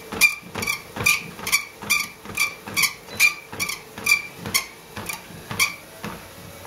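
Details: Livestrong LS13T treadmill (made by Johnson), about 26 months old: sharp high-pitched squeak repeating about twice a second while running, owner says from the motor, not bolts or shocks, and not fixable by lubrication; suspected motor fault.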